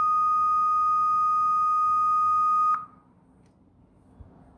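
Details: Acer laptop emits a loud, piercing steady tone for nearly three seconds at boot, starting right after the SSD and keyboard were replaced.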